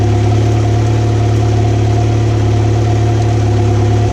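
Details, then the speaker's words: 2014 Mercury 115 HP four-stroke outboard on a water hose, after a no-start was fixed by replacing the low-pressure lift fuel pump: a steady, even low idle hum with no misses. In gear it runs on all four cylinders; at idle it drops about two. "kick it in gear so that way it runs on all four cylinder when it's a that idle it drops about two cylinder"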